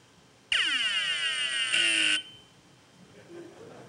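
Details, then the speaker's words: Hard drive at power-on makes high sweeping chirps like a sci-fi phaser, then goes silent. This means a head is stuck to the platter or the spindle won't turn, so the heads cannot read. "nobody's heard that yeah so normally what this would mean is is that I've got a head stuck to the platter or I got a spindle that doesn't turn so the heads not be able cannot read anything so they'll make noises like this"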